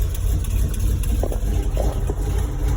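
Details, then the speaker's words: 1989 Toyota with V8 swap, electric fan running, 50 psi oil pressure at idle: steady idle rumble with a faint irregular puffing tick following engine speed; exhaust header leak. "that's my electric fan but i got a header leak too just have 50 pounds out of idle"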